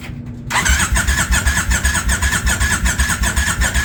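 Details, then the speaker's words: 1999 Kawasaki Vulcan 1500 that was submerged to its headlights, with water in the engine: after cleaning, the carburetor was refitted and it was started on choke. It fires after a brief crank and settles into a steady, loping twin beat. Running fine. "she's running"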